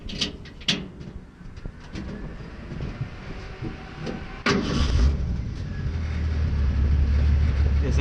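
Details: 1938 Ford truck rat rod: some handling noise, then the engine catches quickly and settles into a low, steady idle that climbs slightly; normal healthy start and idle.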